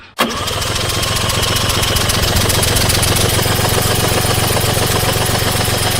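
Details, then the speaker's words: Suzuki 85hp outboard on a Bonito 4.9 boat, unrun for 6 years, started after fuel was put into the cylinders; catches at once into a strong, steady, even buzz; fuel-supply problem, carbs to be removed, jets possibly need cleaning. "Yeah, she runs. That sounds pretty sweet actually. So I think that's all it is just a fuel thing."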